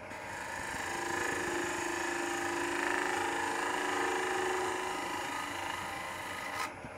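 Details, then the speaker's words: Woodturning an end-grain bowl with a Sorby ring tool, tool angle changed so it reaches less far over the tool rest: even, continuous rasping cut with no chatter, then stops cleanly; vibration gone. "if you'll notice i changed the angle just a little bit with that tool so that it wasn't reaching quite as far out over the tool rest and the vibration went away"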